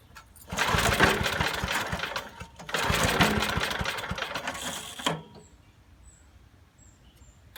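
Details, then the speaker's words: 1980s Billy Goat vacuum small engine, stale turpentine-smelling fuel drained and refilled fresh, carb cleaner added: repeated rough pull-start cranking that dies without catching; spark plug shows only a little spark; no start, weak spark. "yesterday oh a little bit of a spark not much"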